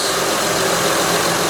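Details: 2006 Honda Odyssey EX-L (RES) V6 idling after a valve adjustment and downstream O2 sensor replacement, running fairly smooth. Even, smooth hum with no knocks, ticks or hunting. Normal idle.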